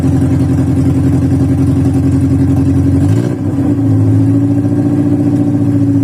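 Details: VW Voyage cold start after sitting many days, worn old mechanical parts: lumpy, uneven cold idle that sags and stumbles halfway, then catches and settles; rough idle during warm-up.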